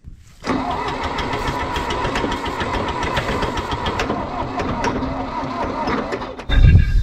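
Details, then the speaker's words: John Deere 1010 track loader diesel after injection pump rebuild, glow plugs heated, earlier no fire on starting fluid: slow heavy starter churning, no firing; smoke from starter; owner suspects low compression, to test. "now the issue is what I was thinking earlier when it did not fire on the starting fluid is do I have compression and I'm worried I do not"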